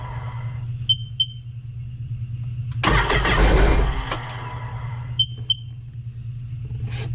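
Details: Steady low hum with paired beeps, then a short rough burst of firing that dies away. This 2006 Sea-Doo Sportster sat about two years and won't keep running; the old gas is suspected and the tank is to be drained.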